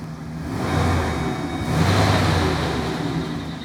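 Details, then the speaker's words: 2012 GMC Savana van, P0300 misfire complaint: rough stumbling idle with a thin squeak above it; suspected lifter or valve mechanical problem needing engine mechanical work. "And that squeak isn't good either. This is some type of mechanical problem."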